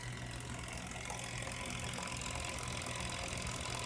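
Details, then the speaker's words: Vintage 1970s Teledyne WaterPik Model 71 after leak repair (reservoir-to-pump tubing replaced), reservoir filled: steady even low buzzing pulse with unchanged rhythm; normal pulsating operation, no more leak. "turn on and there we go my steady pulsating action so you'd be working for him"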